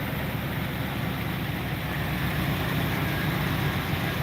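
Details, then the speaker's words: Dodge Dakota R/T with stock 5.9-liter 360 V8 (transmission bad, doesn't drive): deep, steady idle with even low rumble, no knocks or misses; engine runs great. "it does run the 5.9 motor runs great"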